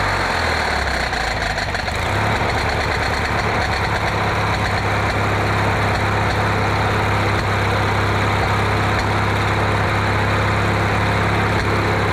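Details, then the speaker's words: Riding mower with a paint-can lid welded over its backfire-blown muffler: steady idle with uneven pops and ticks as exhaust leaks past the patch, which pops in and out; much quieter than before. "Making the oil can noise, pop, pop, and watch it pop out. Oh well, it's a lot quieter than what it was."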